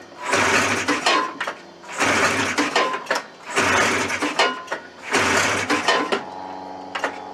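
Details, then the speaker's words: Old Suzuki Fury two-stroke sled with suspected ignition trouble, after an extra ground, key switch unplugged and fresh fuel: loud surging bursts about every 1.5 s, sagging between. Still rough, cause unconfirmed. "so I think we've successfully determined that the problem still [Music] exist"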